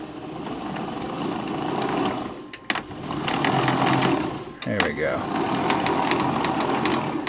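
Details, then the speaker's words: Jobo CPP2 film and print processor control head, speed knob turned up from 0: even agitator motor whir that dips, reverses direction and spins back up smoothly; agitator motor running normally. "I think when it's in the 0 position, does it run? Sure does. And if I just turn up the speed,"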